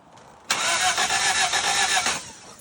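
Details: Toyota Celica after head gasket replacement, crank-no-start taking about 3 hours to diagnose: a short burst of cranking that briefly sounds ready to catch, then fades after about 1.5 seconds without running.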